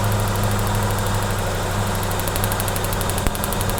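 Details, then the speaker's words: 1995 SN95 Ford Mustang with cylinder 1 cold, spark tested good on number 1: loud, uneven, lumpy idle; misfire, owner suspects bad plugs, otherwise fueling. "Okay, since we've got good spark, may have a bad plug. I'm gonna go ahead and pull all the plugs out of this car and put new plugs in it and see if that doesn't fix it."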